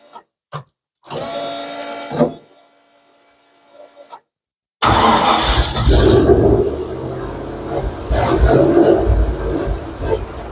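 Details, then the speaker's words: Mk1 Ford Capri with turbocharged Rover V8, first start attempt in a small room: short cranking bursts, then rough uneven engine note catching and revving; heavy smoke cloud, turbo heard spinning while cranking, good oil pressure, cause unknown. "I'm assuming you can see the cloud of smoke flowing over um nothing's on fire nothing's gone could hear the turbo spinning that turn it spins when it's turning over"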